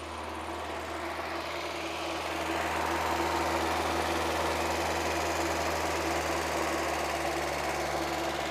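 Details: Mazda Miata after timing set, AC recharge and fast idle valve work: smooth engine idling steadily but far too high, never settling down; owner tries adjusting idle screw, no vacuum leak found, high idle.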